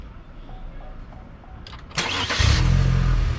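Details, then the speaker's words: Chevrolet Malibu, started after maintenance and a BNR intake manifold spacer install. Short crank, then it catches cleanly and settles into a steady, even low idle with no stumble; nothing shows on the dash, and an OBD scan finds no codes. "Fired up smooth too. Nothing on dash."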